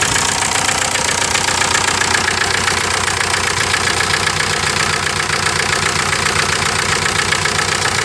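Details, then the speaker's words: 1998 VW TDI, nearly 500,000 miles, about 100,000 of them on 80% waste vegetable oil: rough, uneven idle with a steady ticking knock and blue smoke. A stuck first piston ring causes misfire, lost compression and heavy blow-by nearly pushing the oil cap off. "That's what you get in that blue smoke, that misfire. Let's see from further distance. It's not that bad, but it's more in a breather. You can tell it's just misfiring pretty bad."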